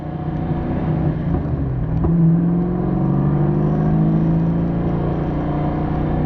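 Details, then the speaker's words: Rally car engine during a steady-state RPM sweep in one gear while tuning: steady drone, then a sharp pop and a rougher note with blow-by through the vent; broken ring lands, and the last two driver-side cylinders had low compression. "I was just kind of doing an RPM sweep in a solid steady state in one gear, and then I heard a pop, and then we had nothing but blow by through the vent."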